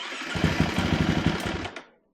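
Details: KTM 350 four-stroke dirt bike with Lectron carburetor, after replacing pulser coil (about 100 ohms) for no-spark: engine catches at once, fires a quick even burst of strong beats before shutting off; starts normally.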